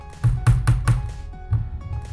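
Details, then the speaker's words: External keyboard rocking and knocking on the desk with dull, quick thuds while typing, because one of its feet broke off and was lost; the fix is glue. "потому что у этой клавиатуры одна ножка отвалилась и потерялась где она без понятие"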